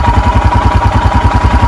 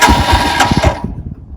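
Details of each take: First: 2021 EFI Royal Enfield Himalayan single, cold, choke/idle lever engaged: even, steady thumping about ten beats a second at a fast idle of about 1200 rpm; normal healthy fast idle during the one-minute warm-up. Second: 2021 Royal Enfield Himalayan EFI, cold start in neutral with choke/idle lever down: starter whirs with ragged catches that fail to take, then uneven sputter; reluctant to fire, lever seems to make no difference.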